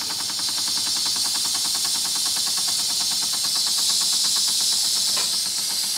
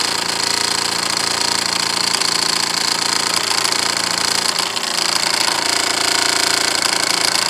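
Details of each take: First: Wilesco D6 model steam engine with the whistle opened to bleed pressure and slow it down: a loud steam hiss over slow, even chuffing at about three beats per second, ticking over smoothly at low pressure; normal slow running. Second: Wilesco D6 model steam engine: quick chuffing about three to four beats a second under a steady shrill whistle; blowing the whistle bleeds a lot of boiler pressure and slows the engine.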